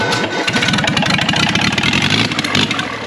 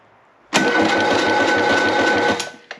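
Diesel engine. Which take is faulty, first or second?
second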